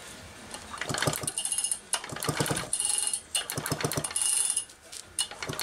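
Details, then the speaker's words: Allen's Super EZ chainsaw, "new to me" diagnosis, spark test with plug out: sharp snapping ticks with each cord pull, audibly popping; strong, good ignition spark. "This has actually got great spark. So that's a great sign. You can hear it popping as much as you can see it."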